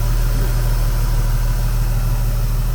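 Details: 1988 Opala Diplomata at its first start after conversion from carburetor to FuelTech FT450 fuel injection with a Walbro pump; fuel map still needs tuning. Steady, even low rumble with no misses, knocks or ticks: a normal, smooth idle.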